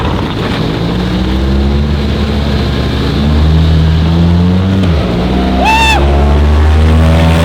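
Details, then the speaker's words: 1963 Pengor Penguin amphibious car with a tiny rebuilt two-stroke engine, under way: crisp buzzing two-stroke note climbing and settling steadily over water splash, pulling strongly, no misfire; a healthy small engine. "That thing's really fast. This is why you don't let Ricky Mosley rebuild a two-stroke."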